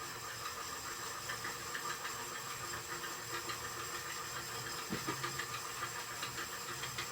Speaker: I don't know what that noise is, though.